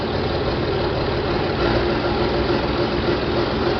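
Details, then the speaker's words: John Deere 4020 diesel tractor, first start after splitting it and replacing the clutch: deep, steady idle around 1,000 rpm with no knocks or misses, oil pressure light out, still a little smoky. "Oil pressure light is out. That's good. Got about 1,000 RPM."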